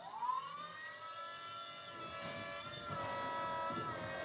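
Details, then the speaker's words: Electric power steering pump running with the engine off (valve cover off, car won't start), recorded in close-up. It spins up after a moment to a steady whine near 1 kHz that then swells slightly. Normal operation. "I want to give you guys I want to give you guys a closeup of that noise of that of that thing firing up. Takes a second."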